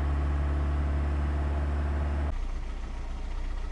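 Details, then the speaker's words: Car engine started right after an oil and filter change, filter primed by cranking without ignition: catches and settles into a smooth, even low idle; oil warning light goes out, pressure normal; normal idle. "Всё, лампочка погасла, давление нормальное."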